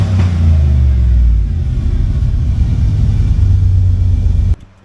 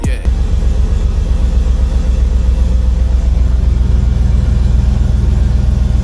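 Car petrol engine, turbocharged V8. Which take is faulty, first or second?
second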